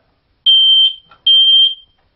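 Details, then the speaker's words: Smoke detector test: pressing and holding the test button gives two loud, piercing high-pitched beeps of about 0.4 s each, showing the detector works; occasional chirping instead indicates a low battery. "now you know it's working."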